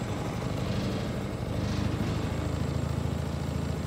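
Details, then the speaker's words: A Kymco Bet and Win 250 project scooter idles as a single-cylinder with a rough, uneven low putter. It gradually slows as the idle adjustment screw is turned down. "idle just is right there it's just a screw you can turn it you'll hear it slowing down"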